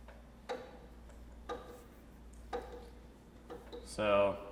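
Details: Bicycle with a loose bottom bracket (crank bearings): a sharp knock about once per pedal revolution. The planned fix is to snug the bottom bracket, or replace its bearings if play remains.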